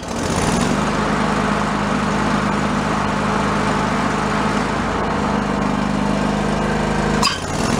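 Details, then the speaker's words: John Deere LX178 yard-sale mower running with the deck engaged: steady, even drone that sounds slow and lugging, so it needs more rpm under load. Carburetor adjustment planned; the cause is not confirmed. "downstate but we need more rpm"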